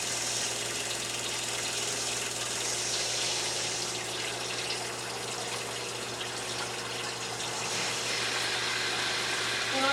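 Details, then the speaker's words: New Surflo 4008 Revolution 3.0 camper shower water pump after replacement for low pressure: steady quiet pump hum under loud rushing water, holding up to 55 PSI; normal running. "a new pump is really quiet surprising even with it closed it uh it's pretty quiet"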